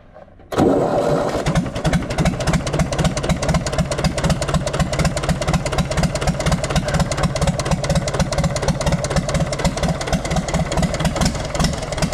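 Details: Universal 550 diesel tractor, restarted during troubleshooting. The engine catches and idles with a steady, hard knock about twice a second above the diesel clatter. The rod bearing is worn, with play, and the crank is scored about 1 mm.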